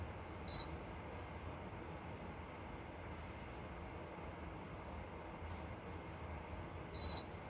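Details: Frigidaire washing machine giving two short high-pitched beeps about six and a half seconds apart in a quiet room; it keeps beeping, reason unknown.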